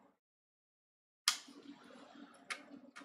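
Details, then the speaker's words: Secondhand Nintendo Wii with a disc inserted: a few sharp, sparse clicks from the optical drive with no spin-up, and the console not reacting; the drive isn't reading the disc, cause unconfirmed. "you can hear the machine clicking nothing's coming off the machine is not reacting at all"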